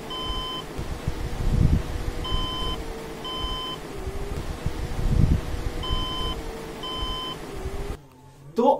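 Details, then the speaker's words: Desktop computer with red power light flashing at startup: short high beeps in repeating pairs over fan hum, a POST beep code; motherboard said to be not dead, likely poorly seated memory. "आपने देखा guide मतलब कि water यहां पर जो लाडू है बे glad वह जलता है रिपोर्ट जल्द है और यहां पर हमारे सिस्टम में बीत दे रहा है टू टू टू इस तरह से भी दे रहा है"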